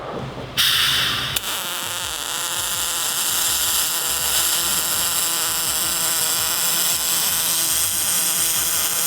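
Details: Miller spool gun on a Multimatic 255, MIG welding aluminum with no pulse: after a short start, an even, smooth hiss holds without crackle or pulsing. A clean, stable spray-transfer weld.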